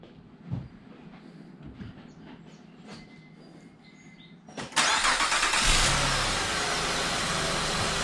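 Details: 2006–2008 Honda Pilot after alternator replacement: engine starts and settles into a steady run with no whine; the high-pitched whine, first blamed on a replaced power steering pump, was the alternator.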